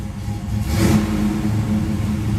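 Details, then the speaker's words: 1973 Camaro Z28 V8, warmed up with the temperature gauge near halfway, idling about 700 rpm: a quick throttle blip rises cleanly and settles to a slightly rough, lumpy idle that sounds healthy. "it's iding not perfectly smooth but uh not too bad is about 700 RPM little rough cuz it could use a bit more sounds good"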